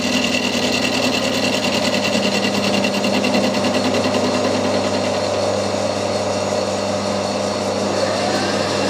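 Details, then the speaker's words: Fly cutter milling a part (steam loco project): even, rapid cutting tick about 200 a minute over a steady spindle hum, clean and consistent; a sharp cutter cutting smoothly with a nice finish. "but this one it's just cutting much smoo you can hear it's cutting really nice nice and"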